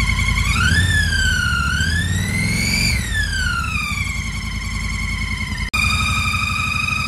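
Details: 2017 Triumph Bonneville T120 twin with 2,000 miles, previously laid down on its left side: high, eerie whine rising and falling with revs, seemingly from the right-hand valve cover area; cause unknown.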